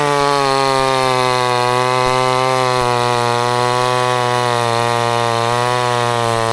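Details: Vevor chainsaw run with straight gas, no two-stroke oil in the fuel: flat, strained buzz at one steady high pitch, smoking as it overheats, scoring the piston top to bottom so compression bleeds past.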